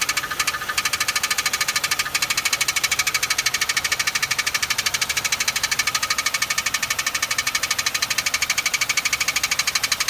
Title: Loud ticking noise